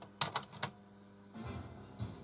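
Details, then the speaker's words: Teac RH500 cassette deck with auto-load, belt off, broken front mounting pillars: three crisp clicks as tape engages, then even running whir; loads, plays and fast-forwards normally after repair. "Yep, it's doing something. Okay, fast forward. It's working fine."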